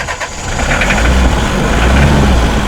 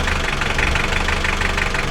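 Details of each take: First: Mitsubishi L300 diesel, hard to start, needs throttle to keep running, thick white exhaust smoke, sluggish rpm rise: low, uneven idle with a wavering beat; incorrect injection pump timing. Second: Mitsubishi L300 diesel, hard starting with white smoke and weak pull, after timing belt fitted and injection pump timing adjusted: even diesel clatter at a steady idle with no stumbling; the engine now holds idle cleanly.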